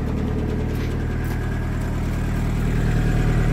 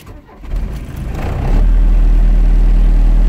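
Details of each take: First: 1981 VW Rabbit/Caddy diesel pickup truck idling in neutral with parking brake on, heard outside then at the tailpipe: a steady low diesel chug. Owner notes a loud vibration at idle, suspects engine mounts, and says raising the idle quiets it. Normal diesel idle. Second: 1981 Volkswagen Rabbit/Caddy diesel truck starting: cranks and catches quickly, then loud deep throbbing idle with heavy vibration; owner suspects engine mounts, vibration quietens with a little more idle; cause unconfirmed.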